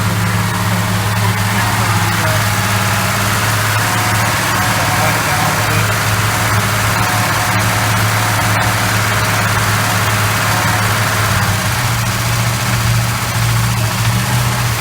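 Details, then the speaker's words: 1968 Chrysler 300 440 V8, first start after sitting a long time, after oil change and freeing oil pump check valve: deep steady rumble holding idle without stalling, slightly lumpy but solid; engine running again. "so baby we got a runner she sounds pretty damn solid too"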